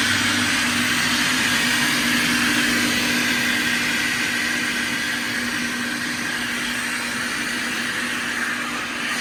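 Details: 2005 Kaeser SK 21 11 kW screw air compressor, 15,239 total hours (about 5,000 under load), fully serviced: steady hiss with constant mid-pitched hum, even level, no knocking or grinding; normal running.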